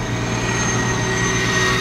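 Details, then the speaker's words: 1999 Toyota Corolla 1.8 after fixing the power steering pump pulley: steady idle at a stop with even hum and faint high whine, no knocking; the earlier knock is gone. "so yeah I definitely think that that that definitely fixed the uh [Applause] issue"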